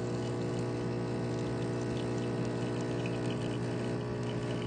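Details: Breville espresso machine pulling a shot after the grind was lengthened by one second, shot running about 33 seconds. Even, steady pump drone with a low buzz and no surging or sputtering; normal pump operation.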